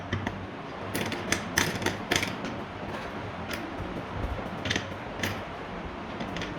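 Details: Ceiling fan running with sharp uneven ticks about two a second over a soft whir; worn bearing ticking.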